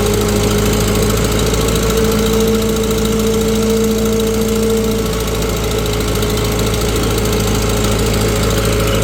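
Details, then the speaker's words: 1948 Farmall C tractor, former parade tractor, hot on a dyno, pulling 15 hp via PTO under heavy load: steady pull with sharp puffing tick every firing stroke; leaking exhaust manifold. "Just a nice, good load on it. But boy, that exhaust manifold is about driving me nuts listening to that."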